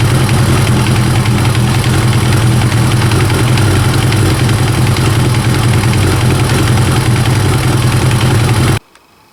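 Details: First-generation Kawasaki ZX-9R four-cylinder idling with a busy metallic knocking rattle from a slack cam chain; fix is resetting the cam chain tensioner.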